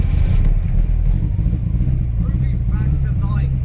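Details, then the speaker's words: Porsche 944 Turbo just started after a new rotor arm and distributor cap: a deep, lumpy note missing a beat, running on three cylinders. The owners believe a faulty HT lead number 2, or a plug lead off. "On 3 cylinders? Possibly, we might have a plug lead out."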